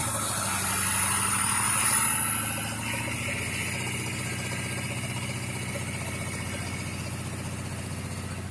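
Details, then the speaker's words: 2011 Ford 6.7 Power Stroke diesel revved after a new pushrod and a used rocker assembly: a steady, fairly regular light popping valvetrain-type tick, louder once hot. Engine builders suspect a bent valve, possibly in the passenger-side head. "And ever since then, it's had this poppy sound. So engine builders think I just bent a valve potentially."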